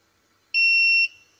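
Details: Tronic Alfa studio monoblock flash after repair of a botched earlier service with power-drop and calibration faults: one clean high-pitched half-second beep as it finishes recycling; charging and firing normally, power stable.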